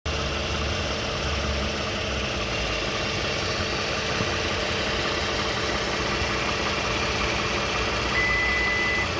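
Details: 2015 Toyota Sienna SE, 71k miles, at idle: steady busy ticking, diesel-like clatter with no speed change; owner asks what the rattle is, cause unknown.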